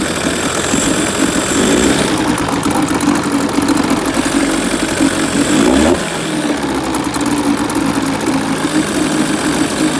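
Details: Outboard motor after carburetor refit to fix a stuck float bowl needle that caused heavy fuel leaking: fires and settles into a steady buzz with a brief dip in speed, then picks up and runs evenly.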